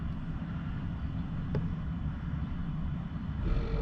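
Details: 2013 Audi A8L air suspension compressor: steady low drone with no hiss, never building pressure. A recirc valve inside the pump had popped out, leaking air internally rather than externally.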